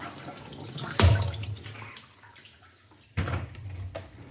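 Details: Miele dishwasher after replacing the faulty board in the water inlet pocket that caused F19/F13 inlet/drain errors: water sloshes and sprays in uneven bursts over a low pump hum, no grinding or knocking; normal wash cycle.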